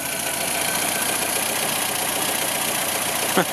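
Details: 1954 Nash Metropolitan at idle right after starting instantly, throttle untouched: even steady idle with smooth hiss, no knocks or misses; runs normally.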